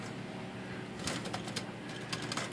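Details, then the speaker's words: Underwood 5 typewriter in for service, keys tight and rusty: clattering key strokes with short thin chirps on each press; dry, rusty rear key pivots and back pivot block squeaking and sticking, need servicing. "most of these are sticking up in the pivots or in the back pivots or squeaking here - squeaking so those have to be tended to"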